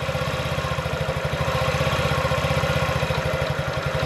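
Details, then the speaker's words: 2017 Honda Ruckus NPS50 50cc four-stroke scooter, idle set just under 2000 rpm on inductive tachometer: even putt-putt, steady with no stumbling; sounds like new, normal idle, earlier problem possibly just the spark plug. "sounds good sounds like what it sounded new you want your idol to be as low as you can get it without a knife and it's steady"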